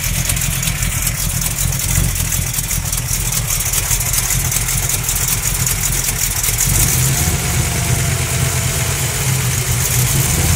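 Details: Small-block Mopar 360 V8 with an XE268H cam, KB107 pistons and stock valvetrain idles with a rough, loping beat and a repeating knock, despite new lifters and main, cam and rod bearings; not an exhaust leak.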